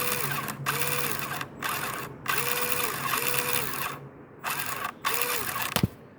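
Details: Pinecone Forest 2402 model vehicle, lifted: bursts of rapid ratcheting clatter over motor whine with vibration from the central gearbox assembly only when driving forward, none in reverse; began after a few days of smooth running, cause unknown.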